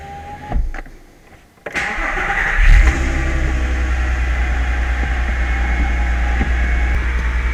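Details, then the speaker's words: Audi A3 V6 on its first start after rebuilding and reinstalling the injection rail, injectors, spark plugs, coils and wiring, with a new temperature sensor and a fault showing on the dash. It cranks, catches quickly and settles into a steady even idle with no knocking. "Mais c'est surtout le moteur, surtout le bruit du moteur."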